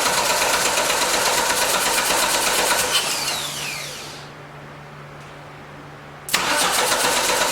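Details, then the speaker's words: 1989 Dodge Daytona ES, with the throttle-body injector back in: steady starter churn about three turns a second, never catches, stops and retries; gas still pouring in, owner suspects injector, plans a new one; cranking, no start. "i think we might have an injector problem because uh it is really pouring the gas over in there even with the injector in there now it's it's just like i'm just pouring gas with a gas in the cup which is strange so"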